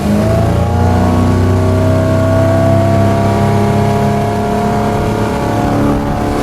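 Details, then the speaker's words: 2006 Bayliner 175, 3.0, throttled up to full throttle above the 3,000 rpm cruise: a loud, steady drone with a smooth climbing note and no knocking or stumbling. Any 3.0 is noisy by design; it is healthy. "that's where you can hear the engine noise really come out. Now, with any 3.0, you're going to have engine noise. That's just the way that engine is."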